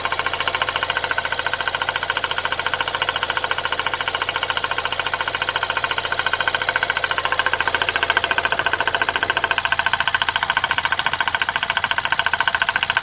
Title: Nissan qashqai 1.6 dci piston slap and burn oil